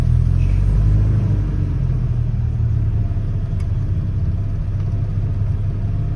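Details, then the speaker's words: Rover P4 80 after a carburettor tune, engine still cold with choke off: an even, steady low rumble at idle with no misses or knocks, smoother than before the tune. "it sounds more smooth than like them before and once it's warmed up you can turn the choke off and it idles nice and quietly once once warmed up"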